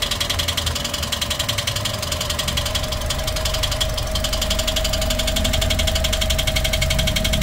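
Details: Toyota 1NR-FE engine with nearly 400,000 on it, idling before repair: fast steady ticking rattle, about four per second; loud timing chain noise; timing chain later replaced and hydraulic lifters cleaned.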